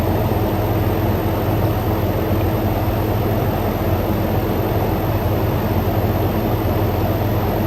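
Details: Frigidaire Gallery GHWQ103WC1 10,000 BTU dual inverter air conditioner, revived after being discarded, ambient 66°F, outlet air about 54°F: deep steady compressor hum ramping up under constant airy condenser fan rush, no rattles or knocks; normal compressor and condenser fan running.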